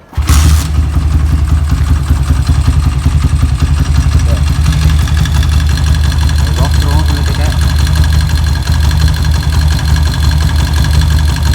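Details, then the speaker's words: Engine just fitted with EDO E2 camshaft replacing the S1: starts and settles into a lumpy, uneven idle with light ticking over the thump; more power but noisy, cause unconfirmed. "Jika Anda ingin membeli E2, pikirkan baik-baik karena alat ini mengeluarkan suara berisik."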